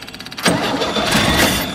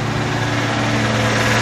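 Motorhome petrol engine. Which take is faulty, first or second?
first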